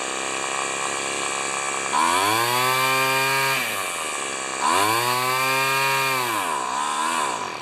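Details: Small two-stroke weed eater after carburetor mixture adjustment from a super-rich setting: revs up cleanly twice, buzzy pitch climbing and falling with throttle, no stalling or stumble. It runs fine, set slightly on the rich side.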